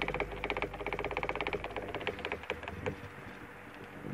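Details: Antique GE fan (78X191, model X56867) before service: rapid clattering knocks, about eight a second, fading as the fan slows. The armature slides back and forth through its bearings and bangs the back of the oscillation gearbox; old grease is keeping oil from the bearings.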